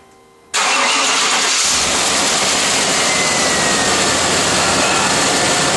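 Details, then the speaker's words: 1995 Chevy Tahoe 5.7 TBI, cranked-no-start, fuel pump relay jumped: engine catches at once and settles into steady even run; starts normally, fuel pump relay faulty. "Okay, she starts. So what's that telling us? Everything's good, but the relay's not doing its job."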